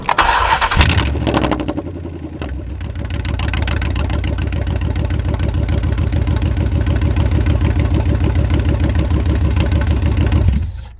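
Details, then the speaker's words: Chrysler 300C 5.7 Hemi with long-tube headers, driver's side header bolts missing: engine catches and settles into loud raspy idle with sharp ticking puff each firing pulse; exhaust leak at header from missing bolts. "But we got to do some freaking work cuz this it sounds like crap."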